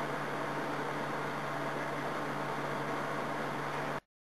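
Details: Cleaned electric heater (1800W or 2400W, 240 VAC) run on high; constant airy rush over low steady hum, no rattle or scrape, then clean switch-off, fan running normally.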